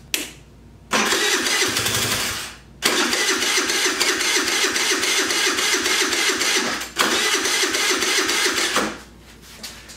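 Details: Jin Lun 50cc scooter, supposedly ran before, carburetor cleaned, powered by a car battery, throttle cable broken: three bursts of fast starter cranking, about two seconds each, with no catch; it draws fuel but won't fire.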